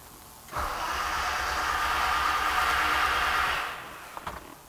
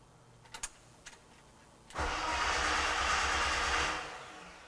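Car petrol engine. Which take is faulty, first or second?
first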